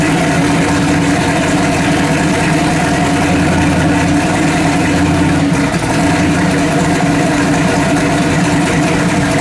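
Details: Freshly built 406 engine for an S10, first fire-up: a steady, even V8 idle with a smooth low rumble and no misses or pops. Timing about 32; it runs cleanly.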